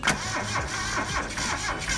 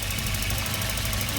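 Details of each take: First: Geo Metro bought at auction, sitting dead, being cranked on a weak battery: slow, uneven cranking that keeps trying but never fires into a steady run; cranks but won't start, cause unconfirmed. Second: Auction-bought Volvo, jump-started with a booster pack: steady even idle with a faint fast tick over it; sounds healthy overall; normal idle with light valvetrain tick.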